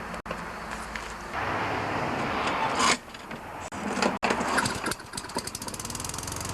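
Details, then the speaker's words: Toro self-propelled mower, 6.5 HP Tecumseh engine, after carburetor cleaning, new spark plug and fresh fuel (wouldn't start or stay running; bad plug and old fuel blamed): pull-start, then fast, steady single-cylinder putter; runs cleanly. "so it Run's pretty good now what I I think it was was a combination of a bad spark plug and old Fuel"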